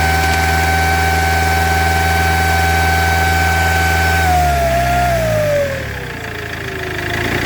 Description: This Iveco 2.3 16v has a damaged turbocharger.